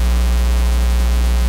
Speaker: all right that's horrible you don't want that no the usual cause of this is a missing Earth ground right you need a connection to Earth